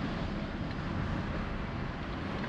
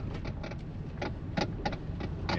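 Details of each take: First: Toyota Prius driven over parking-lot bumps after the steering column was reassembled to fix a dash knock: steady low road and cabin rumble with no clicks, knocks or rattles. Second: Toyota Prius (believed 2012) creeping around a parking lot: irregular clunks and rattles in short bursts from the steering column. Lower column or intermediate shaft suspected, not yet confirmed.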